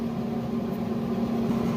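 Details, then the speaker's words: Traeger grill startup after RTD temperature sensor replacement and controller reinstall: steady low fan hum and faint even motor drone, no knocks or scraping; pellets dropping so auger works, smoke and combustion; normal. "So, we know we got pellets dropping. So, we know that the auger is is working properly. Got some smoke."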